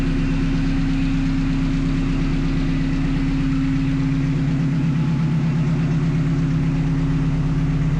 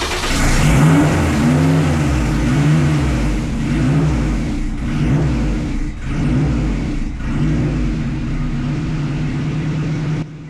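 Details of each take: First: 1974 Alfa Romeo GTV with swapped Honda S2000 engine and 6-speed, first start after sensor checks and e-throttle calibration; idle settings adjusted to a steady, even idle at about 900 rpm, low smooth drone, no knocks or misses: normal idle. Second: 1974 Alfa Romeo GTV with S2000 engine and 6-speed, first start after e-throttle calibration on Link ECU: engine fires but surges hard, idle flaring straight to 3,000 rpm and hitting a fuel cut, then shut down; idle calibration wrong.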